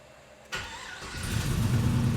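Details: LS-swapped Cutlass with a three-year fuel system problem, long sitting, started after swapping in a good battery and cleaning terminals: silence, a crank, then it catches and settles into a steady, even idle; fires and runs properly.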